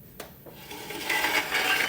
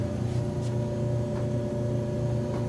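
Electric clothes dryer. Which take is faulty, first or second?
first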